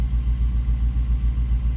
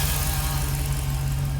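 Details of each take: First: 2006 Jeep Grand Cherokee SRT8 6.1 Hemi with about 335,000 km, on a cold start after new coils, new spark plugs and an injector rebuild. A lumpy V8 idle chugs as it drops to lower idle, with cylinder 5 misfire counts climbing and code P0305 set. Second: 2006 Jeep SRT8 6.1 Hemi, high mileage, P0305 cylinder 5 misfire after new coils, plugs and injector rebuild: V8 idle during warm-up now smooth, deep and even, no shake or shudder, misfire count falling.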